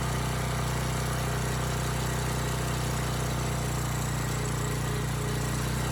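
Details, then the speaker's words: Abandoned Powermate generator, no AVR, running without load: low even hum at constant speed, no hunting; voltage adjusted from about 135 V down to 130 V, normal idle. "okay that's better and i know some of you are probably shaking your head that 130 volts is not good but the fact is this has no avr and a generator like this without a load typically runs at a minimum of 127 volts usually between there and 132"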